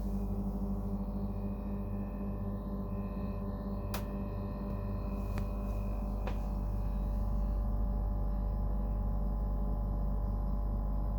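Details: Brand-new Dometic Freshjet 3200 air conditioner at startup and running: loud, steady low throbbing drone, no knocks, far noisier than normal operation; excessive compressor noise, cause not found.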